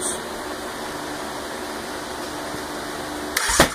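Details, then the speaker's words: Yamaha Rhino 700 with a new engine, unknown fuel map, cranked during the cooling system bleed: a steady cranking whir, then one sharp pop, a backfire because the injector was left plugged in. "we want right there back fired because I forgot to unplug the injector"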